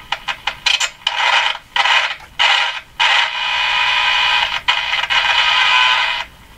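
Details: Canadian Westinghouse Model 577 radio after the low B+ fix: rough scratchy bursts of crackle while tuning, with no station; the noise disappears when the tuning capacitor is fully open, so a scraping plate is suspected.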